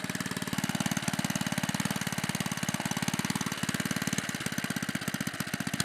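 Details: 1958 Briggs and Stratton Model 6B single-cylinder engine after rebuild with new rings, valves and a replaced flywheel: crisp, even popping at about three beats a second, steady and unfaltering; the engine runs healthy.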